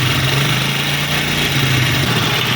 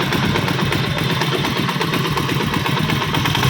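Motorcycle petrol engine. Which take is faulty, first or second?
first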